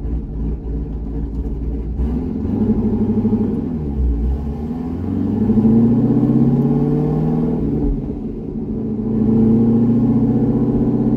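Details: C6 Corvette V8 after an aggressive cam and long-tube header install, on a revised HP Tuners tune, kept to part throttle: deep, even rumble rising and falling smoothly with the throttle, no stumble or surge. Normal running.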